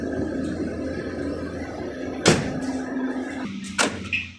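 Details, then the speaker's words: VW Golf/Jetta Mk5 with a newly replaced door lock actuator, its M6 bolts torqued to 18 Nm, tested with the key: two crisp separate clunks over a steady background hum; normal lock actuation. "did you hear the door lock act all working so now this is this is logged"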